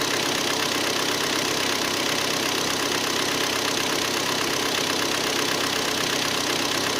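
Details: Hyundai ix35 G4KD engine, 66,000 km, cold after 12 hours standing outside: a dull, even knock at roughly three per second over the idle hum. Piston slap from scoring in cylinders 2, 3 and 4.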